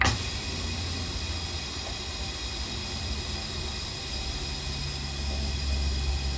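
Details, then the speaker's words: Articulated trailer air brakes being released after the handbrake is pushed off and air is pumped into the chambers: steady airy hiss with a low rumble building as the chambers fill. Normal trailer air brake release. "look and there the brakes coming off so the air keeps the brakes off"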